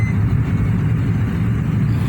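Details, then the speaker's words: Honda N-Wagon after a road test following replacement of the shorted No. 3 ignition coil and all three worn spark plugs, AC on full: smooth, even low drone while driving with no stumble or misfire; earlier cylinder 3 misfire and heavy vibration gone. "अल्हम्दुलिल्लाह गाड़ी हमारी बिल्कुल ओके हो चुकी है, बिल्कुल स्मूथ चल रही है, कोई किसी किस्म की मिसिंग वगैरह नहीं है।"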